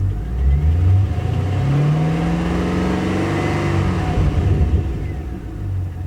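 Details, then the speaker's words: 2009 Holden Commodore VE SS 6.0L Gen4 V8 after replacing a broken pushrod, spark plugs and leads: revs up and settles smooth and even, no miss, no engine light; the idling miss and smoke are fixed. "sounds smooth now, no miss, very smooth, no engine light."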